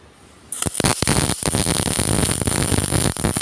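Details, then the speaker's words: GMAW/MIG welder set to about 4.0 m/min wire speed and roughly 17.8–17.9 V after reducing from 4.2. Steady, even frying-bacon crackle with no popping or stutter: wire speed and voltage properly matched. "Oke, bisa terlihat dan bisa dilihat bahwa penggunaan untuk voltage dan kecepatan wire itu cukup, dan itu bisa dilihat dari atau didengarkan dari suaranya."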